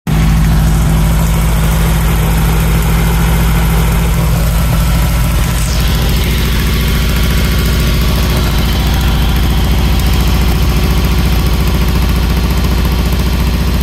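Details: Newly built 1680dp (74) engine during break-in; deep loud idle with ragged puffing chuff, big exhaust leak that cannot be pinpointed.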